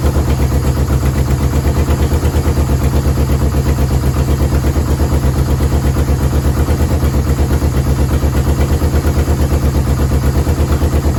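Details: Yamaha VMAX 1200, sat about 5 years: steady low idle throbbing about three times a second, no smoke, holds only on choke and dies with it off; owner suspects clogged carburetor jets.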